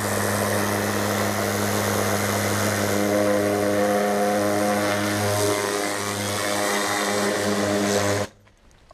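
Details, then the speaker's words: New Kärcher HD 8/18 pressure washer (800 L/h, 180 bar) with rotating turbo nozzle: loud steady rushing roar, like a helicopter, over even motor hum, no surging or knocking; runs strong until shutoff. "On dirait qu'un hélico est en train de décoller, ça fait un bruit important. Ça pousse bien, on a vraiment un recul important sur la gâchette."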